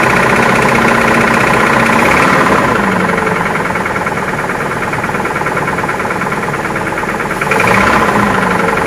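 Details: Toyota Prado with 2TR-FE 2.7L engine running: a loud, hard, even knock near four beats a second over the idle; a deep bad engine knock, cause not found.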